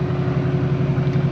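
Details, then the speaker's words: LBZ Duramax after new fuel lines and FASS lift pump install, which cured cranking of up to 8 seconds: steady, even low diesel idle with a smooth regular pulse, no knocks or misses; starts like new and runs healthy. "So but now, after I did all the fuel lines and then the Fass system, this thing starts up like a dream, like the first day I bought it."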